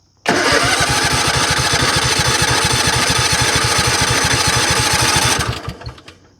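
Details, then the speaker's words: Craftsman GT riding tractor with 20 hp Kohler engine that stalls and lacks power under load: starts and runs with uneven stumbling beat, about three pulses a second; sounds like a miss in one cylinder, suspected spark, compression or loose valve problem. "It sure sounds like we got a miss in one of the cylinders here. Oh, if this was a car, it wouldn't sound bad."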